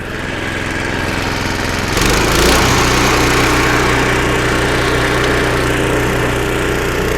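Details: Snowblower about 25 years old, small single-cylinder engine after carburetor rebuild (carb kit, new needle and seat), first-start test: steady, even beat with no misses or surging; normal running, repair successful.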